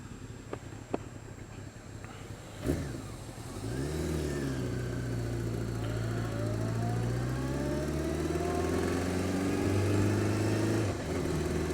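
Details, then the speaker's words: Honda Fireblade sport bike starts, blips, then idles with a light, regular tick of about four per second; worse when cold, quieter but still present when warm; source unknown. "Now listen. Like, tit, tit, tit, tit, tit, tit. That's not normal."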